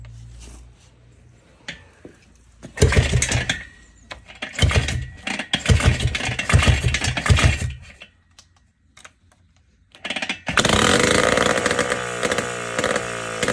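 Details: Jawa 250 type 592 two-stroke after a complete overhaul, kick-started: several kicks with brief sputters, then a ragged, uneven rev; the plug was changed and the float suspected, but air is leaking past the right crank seal and carb gasket.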